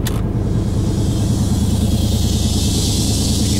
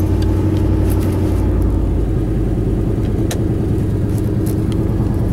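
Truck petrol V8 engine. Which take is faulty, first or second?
second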